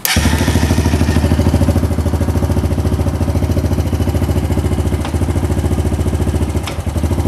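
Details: 1998 Honda Foreman 450 ATV after voltage regulator replacement for no-charge: single-cylinder idle with an even, steady thump, no misses; charging about 13.8–14 V when revved; normal idle.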